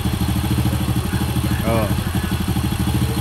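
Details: Honda Supra motorcycle after repair for a tek-tek knock, with piston and cam chain (keteng) and chain roller replaced: even, steady single-cylinder idle pulses with no tapping or chain rattle on top; the engine idles cleanly.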